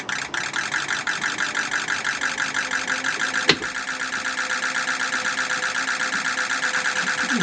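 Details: 2006 Ford F-550 6.0 Powerstroke diesel after blue spring kit install, fixing a damaged regulator O-ring that had fuel pressure at 45 psi or less, now 65 psi: even diesel clatter pulsing about twice a second, no stumble; normal idle.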